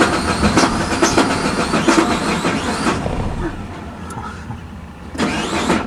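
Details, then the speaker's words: 2003 Suzuki Vitara 4WD 2.0, 79,000 miles, warm after bucking, jerking and stalling: uneven cranking bursts and stumbling catches that never settle into a run, with the rpm reading jumping around; the PCM can't read cam timing, so a faulty cam sensor signal is blamed. "So, you can see we're cranking and our numbers are jumping all over the place. So, obviously the PCM has no idea where the cam timing is and the camera member is controlling the timing."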